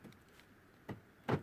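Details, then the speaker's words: Vauxhall Meriva central locking: short crisp clunks as the other door lock actuators throw normally on lock/unlock, while the faulty door lock makes no noise at all; front and rear locks not locking, being fault-found. "however when I do lock I can hear that sort of noise inside the locks but nothing on this lock"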